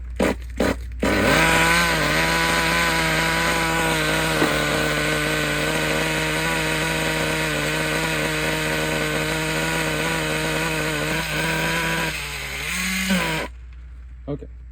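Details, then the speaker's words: Traxxas T-Maxx classic 2.5 nitro RC truck, restored, pull start, throttle return spring missing as exhaust pipe blocks it: tiny engine screams at steady high revs for ten seconds without dropping; owner also suspects an air leak. "Damn, okay, I don't have a throttle return spring on there. I didn't realize how important that was until just"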